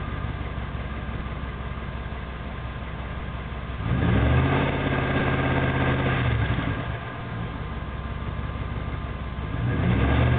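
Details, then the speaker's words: 1994 Jeep Grand Cherokee 318 V8 with tailpipe broken off: deep booming roar swelling with each throttle blip, far too loud; sweet spot around 1600 rpm. "Well, that's what a Jeep sounds like with virtually no tailpipe on it. It broke off."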